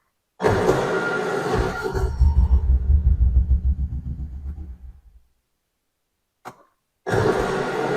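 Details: John Deere Gator XUV 590M cranking: harsh grind turning into a lumpy rumble, engine not catching; starter grinding and not engaging, owner suspects something stripped.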